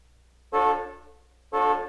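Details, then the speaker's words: 1996 Buick remote instant alarm button: horn blasts on and off about once a second at steady pitch, with headlamps and tail lamps flashing for up to 2 minutes; normal panic alarm. "When the instant alarm button is pressed, the headlamps and tail lamps flash, and the horn sounds for up to 2 minutes."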